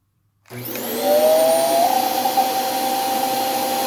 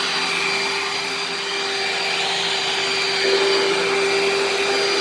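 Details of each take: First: Hoover vacuum run briefly, brush roll already noisy: motor spins up into a steady whine climbing to a high pitch and holding; unhealthy sound that seemed to go away when the HEPA filter was removed, pointing to a restricted filter. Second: Dirt Devil vacuum cleaner running: even high-pitched motor whir over a steady rush of air, no rattle or surging, loud but not too loud; normal running.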